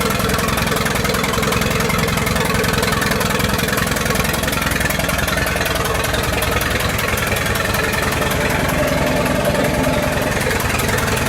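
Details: 1928 Farmall Regular after carburetor tweaks and a valve adjustment, timing advanced about halfway: even, steady putt-putt at about two to three beats a second, no misses or knocks; normal idle.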